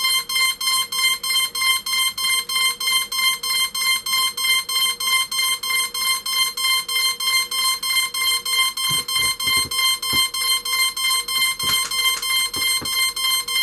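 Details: Cheerson CX-20 quadcopter with its battery plugged in: a sharp, perfectly regular high beep about three times a second. It is recognized by the PC but won't connect to Mission Planner; cause unconfirmed. Continuous warning beeping.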